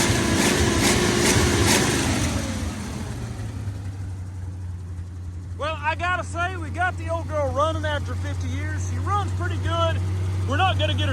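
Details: 1948–49 Ford F-5 flathead V8 truck, sat about 50 years with its clutch rusted to the flywheel: after a brief rough flare it settles into a steady, low, even idle, running normally.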